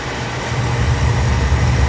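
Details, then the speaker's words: Oil furnace after running out of oil, line bled and reset pressed: burner lights with a steady even low roar, no sputtering or pulsing; normal firing. "Oh yeah, I heard the difference there."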